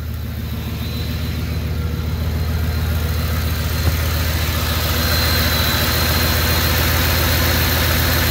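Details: Ford F-150 that squealed on startup, with idler pulleys that could be turned by hand. After the belt tension was restored (old tensioner spring suspected relaxed), it holds a steady, even idle with no belt squeal or chirp: normal idle.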